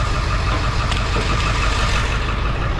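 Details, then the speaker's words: 2007 Ford F450 with swapped-in 7.3 Powerstroke diesel, check engine light on; scanner contribution test points to cylinder 5. Deep idle with slightly lumpy, uneven beat, slight vibration shaking the door. Cylinder misfire, traced to the under valve cover harness. "And it's just kind of got just this, you can tell it's just a uh slight, you know, slight vibration."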